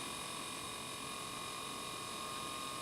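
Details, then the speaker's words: IBM IntelliStation E Pro drive during Windows 98 install: constant rapid ratcheting chatter with steady high whine, beyond normal seek sounds; drive noise of unknown cause. "now it's actually working you can hear thrashing over there I don't think it's supposed to make that"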